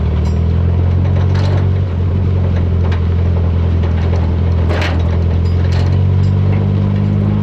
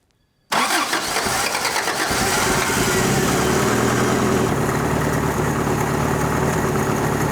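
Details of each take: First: 1985 Toyota pickup, carbureted, revived after 20+ years in a junkyard: low idle with a brief sag near two seconds, barely keeping running and close to stalling; owner says the idle needs turning up, and suspects carburetor adjustment, timing and vacuum leaks. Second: Toyota abandoned 20+ years in a junkyard, first start after fitting replacement carburetor and inline fuel filter: catches at once, steady even idle with no misses or knocks, accelerator pump audible, charging; healthy.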